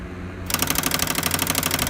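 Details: Pioneer CLD-D503 LaserDisc player, cover off, powered up: rapid even clicking about seventeen per second, unchanging; stuck laser sled.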